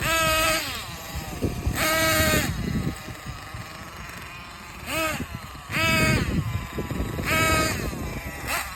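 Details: Thunder Tiger S50 8.2cc engine, first run after rebuild: a high-pitched buzz revving up and down in short bursts, each rev clean and crisp with no misfire; running healthy.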